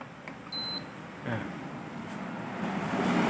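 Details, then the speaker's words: Hatari evaporative cooler fan that wouldn't power on, after repair of moisture-caused PCB short: plugged in via series test lamp that stays unlit (no short), single short high beep over traffic hiss; unit powers up. "เสียบไปแล้วนะครับหลอดไฟตัวนี้ไม่แดงนะครับถือว่าไม่มีอะไรช็อตแล้วก็ได้ยินเสียงปิ๊ดมาแล้วนะครับแสดงว่าน่าจะใช้ได้นะครับ"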